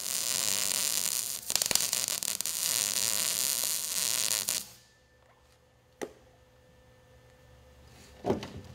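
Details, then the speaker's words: Basic MIG welding: steady crackling arc for about four and a half seconds with occasional sharp pops, dragging a C-pattern bead at an angle off a tack; weld judged fair with good penetration. "can hear some of the popping that was going on with that I was meaning I was hitting that men I was hitting some spots there for the most part that's not too bad of a a weld"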